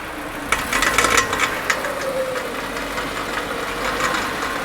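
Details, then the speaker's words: Subaru Crosstrek front CV axle with the wheel turned hard to full lock under throttle: quick uneven clicking about four a second over the engine that goes away when the wheel is straightened. Worn outer CV joint. "turn it to the right as he turns it you hear the noise now when he straightens it back up the noise will go away"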